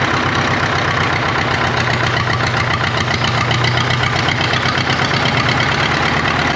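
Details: 1939 Caterpillar D4 crawler, D4400 diesel, first run after rebuild, started by pony motor: loud clatter with uneven stumbling beat instead of a steady chug; engine has a miss, fuel leaks present.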